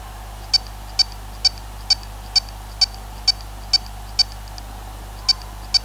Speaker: अब यह आवाज क्लिकिंग की भी हो सकती है या फिर किसी चीज की टकराने की भी हो सकती है।